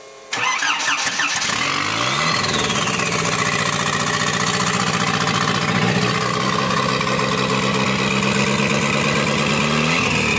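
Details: Škoda 1.4 MPI turbo engine, first start: catches and runs only on sprayed starting cleaner, dies on petrol alone; owner suspects fuel quantity issue.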